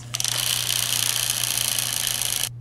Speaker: can hear that like click click click click click click click all that sound vibration and wear it's actually going to make the holes of the aluminum parts get a bit bigger